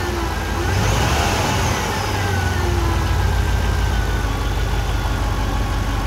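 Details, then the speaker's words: 2008 Pontiac GXP at almost 150,000 miles, alternator only making 13–13.5 V instead of about 14 V; at idle a faint steady whine like a failing power steering pump, with a burning electrical smell; failing alternator. "feeling alternator makes kind of a whining sound almost sounds like a power steering pump going out"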